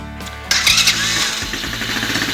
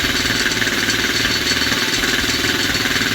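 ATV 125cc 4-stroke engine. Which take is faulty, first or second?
second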